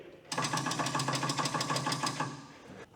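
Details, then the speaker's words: Rare Michigan 12B loader on its first start attempt after being saved from the scrap yard: rapid buzzy chatter of about a dozen clicks, roughly three per second, with no cranking. The cheap starter relay is at fault, possibly dirty contacts; it cranks after repeated tries. "This is just one of those cheapo relays. Contacts might just be dirty if you hit it about a thousand times. Sometimes they work."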